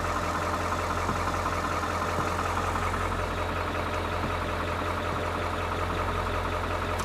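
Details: 1997 Ford F350 7.3 turbo diesel, first run after new starter and batteries and wiring repair: steady, even idle with a low constant rumble, no knocks or misses; runs smoothly at idle. A recurring blown fuse is still unexplained.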